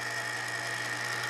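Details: 1940s ManSon Small Machines miniature lathe, restored with a new power cord, belt fitted, running at slow speed: steady even whir and clean constant hum, no knocks or grinding; runs properly.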